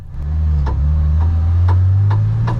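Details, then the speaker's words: Porsche race car pulling away on track: sharp rhythmic ticks about every half second over the engine drone, plus wheel vibration worse with load on the rear left tire. A driveshaft is guessed in hindsight; the car was retired. "remember the car's got a couple of issues you'll hear a clicking noise as James starts to drive away here you also might be able to tell the wheel vibration"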